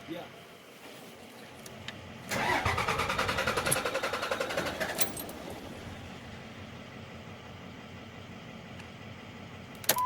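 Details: 2006 Dodge Ram 3500 5.9L Cummins common rail, manual, 127k miles, just-swapped engine: starter cranks steadily about three seconds but never fires; crank no start, no fuel pressure, traced to failed rail fuel pressure sensor reading false pressure.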